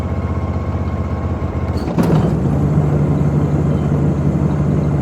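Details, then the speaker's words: Ariens IKON 52 zero-turn mower after deck removal and replacement of all blades (one had broken): engine idles steadily, then blades engage with a smooth, even whirr, no rattle or scrape; deck sounds healthy. "That blade sounds pretty good."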